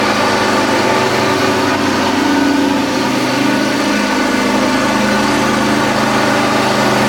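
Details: John Deere X540 mower, unused about a year, no-spark crank-no-start fixed by replacing the failed coils: smooth, steady mid-pitched twin idle with even beat, no misses or knocks; runs cleanly after repair.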